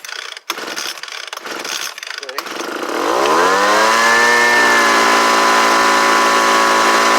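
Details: Homelite UT09250 two-stroke after carburetor replacement: a few pulls, catches and climbs to a steady even high buzz; runs healthy, could use a little tuning to wind out more.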